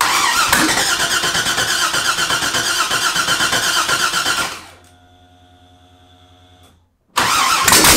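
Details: Mazda FD RX7 with 2002 LS6 V8 crate engine swap, rebuilt and ported, Trick Flow cam, first start with no headers fitted: very loud, crackly open-pipe burble, firm even beat with no misses, shut off after seconds; fired up fine, healthy.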